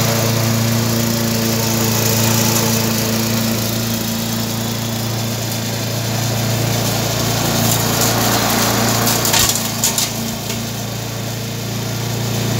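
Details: Briggs & Stratton 3.5 hp mower engine, warm. Runs steady and even at constant speed with no misses or knocks; normal running.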